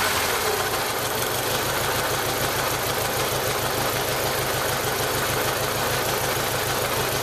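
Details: 1995 Jeep Wrangler YJ 2.5L four running rough at about 1500 rpm. Cylinder one has a blown head gasket seal and about 70 psi compression. Uneven, stumbling beat with irregular misses from the one weak cylinder.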